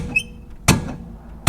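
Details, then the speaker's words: 1973 Chevy Nova 350 SS hatchback, rear banging: heard under the car while bouncing it, two sharp metallic clunks, one per bounce; lower shock absorber mount stud loose, both sides; loose shock absorber mount. "that's the main stud for the lower shock absorber Mount and that is loose and banging away is clicking up and down when you bounce on it"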